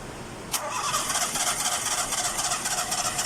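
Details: Nissan Sunny: starter spins the engine steadily at about four turns a second, but it never fires or catches; cranks but no start.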